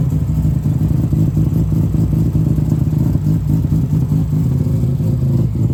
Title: Cars experiencing a rough idle and can’t figure out why?